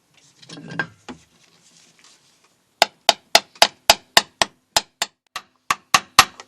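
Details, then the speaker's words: VW T25 clutch job, new main oil seal tapped in with a seal driver: sharp hammer taps about three or four a second, note rising slightly once the seal bottoms out square all round; seal properly seated. "There we go, happy with that. You can hear a slight note change when it's right back. It's all square all the way around."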